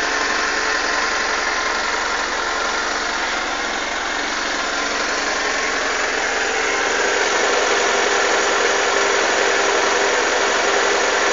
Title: SRAD 600 Gixxer GSXR engine start up rough idle schlechter leerlauf